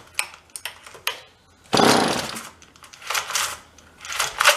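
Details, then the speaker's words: Vintage John Deere chainsaw from a free pile, primed with choke: short pull-cord rasps then one brief burst that dies; not getting fuel, carburetor to deal with; pull start also faulty. "If it runs and dies again, then we know we're not getting any fuel."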